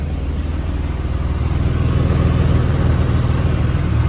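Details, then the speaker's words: V6 with holed Redback exhaust fitted, running like crap: rough idle with regular tick-knock about three per second under exhaust-leak rasp; cause not pinned down. "There's the ticking slash knocking. Can't even hear up here."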